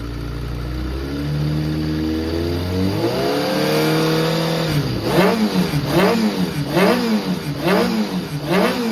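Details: Kawasaki ZRX400 (ZR400E) running bike, start-up check: clean, crisp four-cylinder rise and fall through repeated throttle blips, smooth and even with no knocks or rattles, and no white smoke stated; the engine sounds healthy.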